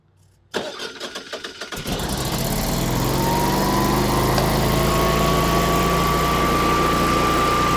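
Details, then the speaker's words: Natural-gas Generac generator in exercise mode with no load: a brief crank, then a steady, even run with no surging and sounding perfect; under load it nearly dies, which the owner suspects is from being short on gas. "so you heard it run it sounds perfect you wouldn't think anything was uh wrong with it"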